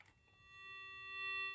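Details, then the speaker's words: 1990 AT&T Trimline 210 thrift-store phone on its initial checkout, on a test line: steady, clean continuous dial tone without breaks or crackle; works perfectly, normal dial tone. "And you can hear, as you can hear, it works perfectly."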